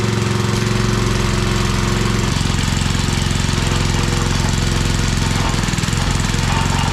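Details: Old Briggs 5 hp single-cylinder on homemade wood splitter, run without air cleaner, little fuel added: runs steadily then speed dips and hunts around two seconds; owner suspects it's running out of fuel.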